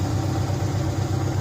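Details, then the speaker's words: 2004 Subaru Impreza engine, first run in months after reassembly with a JB Weld-repaired stud, cleaners burning off, coolant burping: even, steady low idle rumble with no knocking or tapping, not missing, no check engine light. Engine didn't destruct itself. "So, Yeah. it didn't destruct itself. It's not kabooming."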